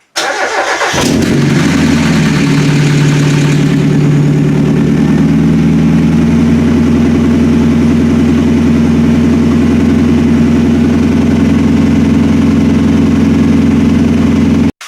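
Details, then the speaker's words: Old car start-up after alternator removal and replacement to cure a squeal: cranks and fires at once, settles to steady, even idle with no squeal or chirp; problem fixed. "Well, that seems to have fixed my problem."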